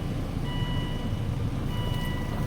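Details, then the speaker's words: Volvo S60 turbocharged five-cylinder after repairs including replacing a broken zip-tied ignition coil, previously ran very violently; now low even idle with steady pulse, no stumble, faint chime twice, no smoke or engine lights. Normal idle. "so let me get her started up here [Music] oh listen to that purr"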